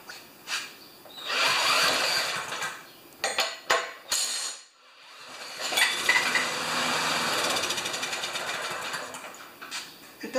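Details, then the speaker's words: Murray mower with Briggs single-cylinder engine, run on squirted gas: harsh rapid metallic "death rattle" over exhaust with handling clatter; owner says it doesn't sound like a rod — rattle while running, cause unknown. "this thing's got a death rattle and if you don't know what a death rattle is you're gonna find out"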